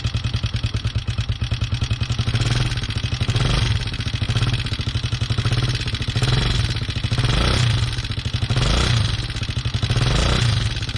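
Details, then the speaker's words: 2020 Hawk 250, first start after assembly with fresh oil: fast even idle with loud clatter on every beat; owner unsure if normal or valves adjusted wrong, plans to pull cover and check valve clearance. "if it's supposed to sound that loud or if I've adjusted these valves wrong."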